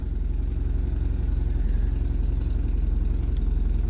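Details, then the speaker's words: Rusty Opel Kadett, unrecorded service since 1994, just cold-started: steady, even low beat at quick fast idle on choke after a rev, no knocks or misses; runs nicely. "and then AO choke you have to give it a REV runs nicely"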